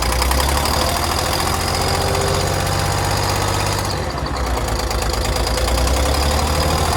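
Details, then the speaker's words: Detroit 6V92 diesel in an MCI bus conversion, cold start despite a block heater: chugging with a sharper, higher-pitched, almost ticking edge on each pulse from a partly lost exhaust manifold gasket. "xhaust leak is and listen for the sound it's going to be a higher pitched almost ticking sound"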